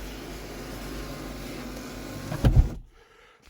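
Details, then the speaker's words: 1989 Lincoln Town Car Signature Series: moon roof motor hums steadily, straining and draggy near the end of travel, then a clunk as it seats and stops; labored moon roof motor that needs help closing. "t where the how the moon roof gets real draggy right there at the end and it makes that noise coming back you got to kind of help it"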